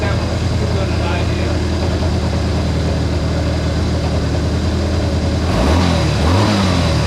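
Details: Honda CA160 Benly engine after carburetor rework (two clogged jets cleared, float level set, fuel filter fitted): even idle, picks up cleanly on quick blips and settles back; runs smooth and healthy.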